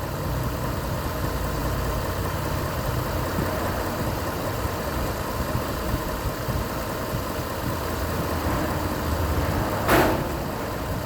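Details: Petrol car engine idling steadily with an even low hum and no misses or knocks, after a vacuum leak causing P0171 was fixed by reconnecting and zip-tying a hose; short-term fuel trims trending negative.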